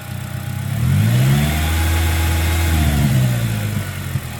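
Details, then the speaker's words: 2009 Pontiac Vibe 1.8L after new alternator and new belt: engine revs up smoothly and settles back with no belt screech or squeal; former screaming alternator noise gone, normal. "Alright, no more violent screaming noise. So it's not screeching and screaming at me anymore, which is pretty awesome."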